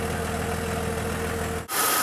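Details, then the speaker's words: 2000 Jeep Cherokee XJ after replacing the lifters to cure a worsening lifter tick, heard at the tailpipe: smooth, even idle with no missing; normal idle. "it's not leaking anything it's not making any funny noises so we're going to see how she goes"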